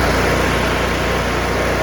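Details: John Deere V-twin lawn tractor at full throttle after carburetor replacement and governor idle adjustment (fixing runs-then-dies-with-choke-off): loud, steady drone with an even, fast firing pulse, no misses or surging; runs normally.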